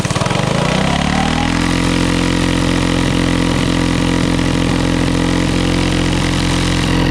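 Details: Coleman CT200U-A minibike, 196cc single, at idle after carb gasket replaced and alignment checked: fast, buzzy, steady speed that won't drop to a slow tick-over despite repeated carb adjustments. High idle; cause unknown, owner wonders about the clutch.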